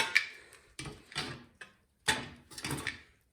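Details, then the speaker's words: Craftsman pressure washer engine that won't start, head removed and engine turned slowly by hand: five or six loose metallic clunks as something rattles inside; the connecting rod is broken, and a new rod and crank are needed. "Cylinder wall looks okay, but listen. Something's rattling around in there."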